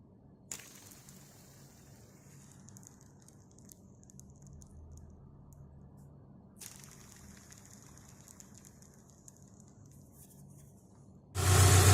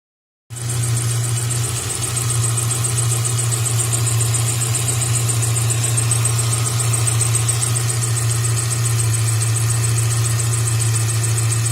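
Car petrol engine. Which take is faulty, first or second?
second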